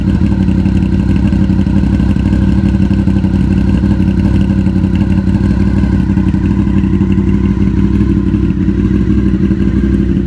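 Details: 2000 Honda VFR800, previously wrecked and bought non-running, at idle: smooth, even V4 hum with no knocks, misses or rattles. Sounds healthy.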